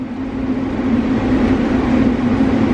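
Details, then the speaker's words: Grain dryer fans running, pushing air through a full load of corn as the heat is switched on, before the burners kick in (plenum set 200/220). Steady, even rushing air with a constant mid hum, no knocks, rubs or wobble; normal fan operation. "so the fans are up and running they're pushing air through the crane right now"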